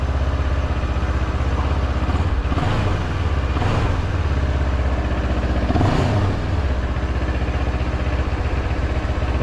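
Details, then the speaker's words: 700MT big twin in neutral after a fix for TFT cowl vibration noise: even, thudding idle with three quick throttle blips and no buzz or rattle on top; sounds healthy. "don't you love the sound of these big twins they're very much like a V Twin I love the sound of this thing"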